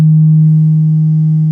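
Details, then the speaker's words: Vox AC10 guitar amp fed 200 Hz test tone at about twice guitar-level input: steady low tone with faint rattling buzz; cabinet resonance, source being traced. "Paul, your Vox AC10 is giving you grief. The only frequency that's causing this thing any grief is 200 hertz."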